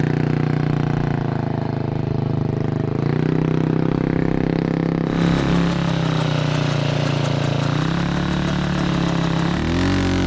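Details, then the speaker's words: Single-cylinder 228cc engine in a 4WD Ford Bronco Power Wheels go-kart holds a fast, steady hum and won't drop back to idle; idle screw suspected, feels like throttle held under pressure. "it's not really returning to idle okay well let's see maybe that idle screw is just jacked up"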